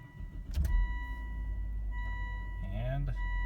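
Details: Car that started then died because it was out of gas, after adding one gallon: a short crank, then it catches quickly and settles into a steady low idle with dash chimes; now starts and runs fine.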